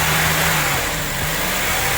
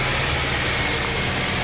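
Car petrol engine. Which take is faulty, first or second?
first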